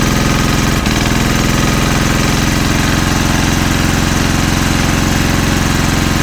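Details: Single-cylinder generator engine with its head machined for gas, warmed up and running unloaded: steady thumping beat with a sudden cough near the start; misfiring at no load.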